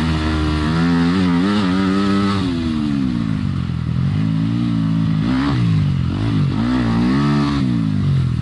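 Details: Yamaha dirt bike ridden on trail after replacing triple clamp steering bearings; single-cylinder note rising and falling smoothly with throttle, no knocks or rattles; sounds healthy.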